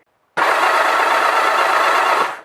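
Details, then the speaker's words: One-owner, low-mileage Honda CB700SC Nighthawk cranked with all spark plugs out after sitting outside at 20-25°F: about two seconds of fast, even cranking with a dry raspy whirr, possibly from the starter clutch, likely from old oil and cold. "Maybe a little bit of a raspy sound with the starter clutch, but it's probably because old oil and it was just outside."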